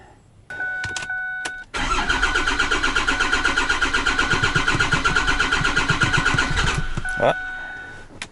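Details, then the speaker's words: 5.9 Cummins 12-valve diesel swapped into 2008 Ford F250 Super Duty (ex-6.4), first start attempt, strainer bypassed: steady rhythmic cranking with faint stumble but no catch, likely not yet drawing fuel; cranks but won't start. "Kicked a little bit. I'm sure it's not easy for it to suck that fuel up in there."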